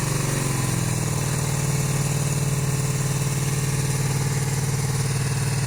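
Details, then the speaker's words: 1982-83 Honda V45 Sabre after valve adjustment and ultrasonic carb cleaning, cold start: lumpy uneven idle running on only two cylinders until warm, then all four join; cause unknown, owner suspects spark plugs or ignition coils. "it is a bit concerning that the it still starts only on two cylinders the dough warms up and in a little four"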